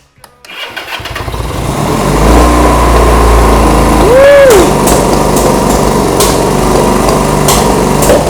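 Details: 1975 Honda CB200T twin after backing out carb screws: catches after a few cranks into a fast raced idle with no throttle, sounding unhappy; owner suspects the air mixture screw setting, unconfirmed.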